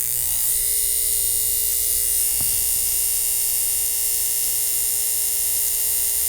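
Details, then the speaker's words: 1950s ATR mechanical power inverter (6 VDC to 110 VAC) being repaired, its vibrator held close to the mic. It gives a loud steady high-pitched buzz with contacts sparking as they switch, possibly reverse polarity; switching normally. "bring that close to the mic so you can actually hear that and see that you hear how noisy that is isn't that"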